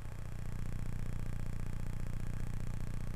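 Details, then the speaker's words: Adcom GFA-555 amplifier, left channel through speaker on a low-frequency test tone: sharp clicks about four a second at each zero crossing, crossover distortion because the channel has virtually no bias and is running like class C instead of class AB. "let's go down to a low frequency and see what it sounds like listen to the clicking you can actually hear the crossover point"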